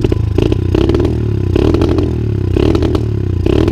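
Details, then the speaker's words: 125 cc dirt bike, not fully warm: runs round at idle but stumbles and chokes in uneven bursts each time the throttle opens; owner suspects choke flooding, intake air leak, ignition or worn engine. "Alors elle tourne super rond, on l'entend là. Là elle tourne super bien, mais dès que j'accélère, on dirait qu'on a dérapé."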